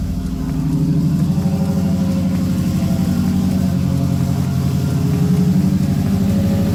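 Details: Subaru Baja after reinstalling the fuel pump assembly with a new OEM-style seal following seal failure, primed before start; engine catches and settles into a steady, even, smooth idle with no misses or knocks.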